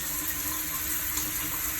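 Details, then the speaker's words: Lorenzetti Ultra electric shower after repair: water runs with a soft even hiss, no roaring or kettle-like boiling noise, after the tap's rubber washer was replaced with a simpler one. "então quando a gente abre tem que dar várias coisas olha não se escuta nenhum parou"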